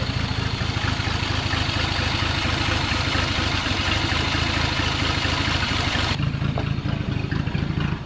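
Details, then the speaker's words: 1940 Plymouth Deluxe six, parked about 65 years, run on 6 volts, crushed clogged muffler: steady slightly lumpy idle, throttle blips pick up cleanly; runs healthy. "But with everything worked in, we're just going to sixvolt it. Let's see if it'll fire right back up. Listen to that. That's awesome."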